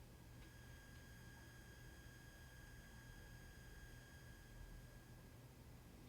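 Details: Aiyima A07 amplifier on Aiyima 48 V 5.2 A power supply, volume at full with no music playing: constant thin high whine around 1600 Hz over a low steady hum; noise traced to the power supply.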